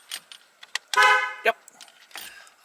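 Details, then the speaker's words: Jaguar E-Type Series 1, horn tested after work at the steering column: one short, clear blast over key jingle and handling clatter; the horn sounds strong and works properly. "let's make sure the horn blows still because i hope i didn't mess up the"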